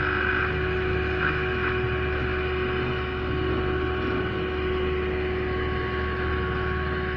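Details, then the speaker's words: Radio that powers on but receives no medium-wave or FM stations: on FM band, holding the antenna wire and turning the tuning, only steady hum and hiss, no station; no FM reception, before repair. "तो इसको मैंने यहाँ पर इसको पकड़ कर इसकी ये ट्यूनिंग घुमाता हूँ तो भी इस पर कोई चैनल नहीं आता।"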